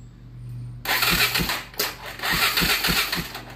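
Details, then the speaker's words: ATV with crank but no start despite spark and fuel, during compression test with throttle held open, expecting 120–160 psi: slow, uneven whooshing cranking strokes with no catch; low compression is why it won't start. "uhoh all right so it's uh you always get higher compression when you hold the throttle open allow more air flow I Believe I have our answer on why this particular machine with spark and fuel will not start"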